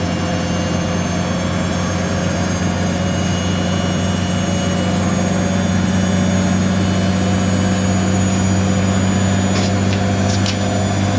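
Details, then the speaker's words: Siemens IQ300 WD14H320GB/02 washer dryer (7kg wash, 1400rpm max, sold as noisy when spinning), Cottons 90ºC intermediate spin at 1,000 RPM: even steady hum and low drone, no rumble or grinding; drum spins smoothly. "So at 1,000. So 1,000 RPM for all the intermediate spins. Very smooth spinning that is though."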